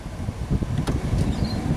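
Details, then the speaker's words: Car heater blower after repair of a fault that had melted the box; steady strong rush of air with low rumbling whir, blowing harder than ever, speed settings 1, 2 and low working. "That is blowing harder than it ever did. So I can hear the fans blowing, I can hear the air coming through, and I can feel it as well."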